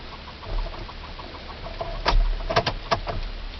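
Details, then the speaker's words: Dodge Ram 1500 with a repeatedly dead battery: with the key on, rapid light ticks then louder clacks from the electric seat belt retractor, cycling without releasing and stopping with key off; a wire had constant power, cause unconfirmed. "Guys, so I said that my seatbelt was ticking, like you could hear the little click, click, click. I guess it was trying to correct itself."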